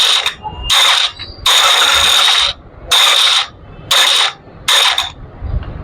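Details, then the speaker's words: Royal Enfield Classic UCE: harsh, high gritty grinding in bursts about once a second while self-starter cranks; starter motor bearings worn, not the one-way clutch; starter must be replaced. "जो इसमें दिक्कत है, इसकी self की motor, उसके bearing ख़राब हो चुके हैं और इसका हमें सेल्फ चेंज करना पड़ेगा फ्रेंड्स।"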